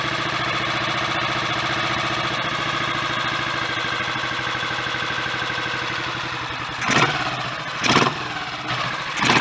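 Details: Royal Enfield 500 single, just rebuilt with cylinder head and valve gear refitted, Redditch S cams (inlet retarded one tooth) and a 230 main jet, idle turned down. Smooth, steady idle with a few clean, crisp blips; sounds mechanically good.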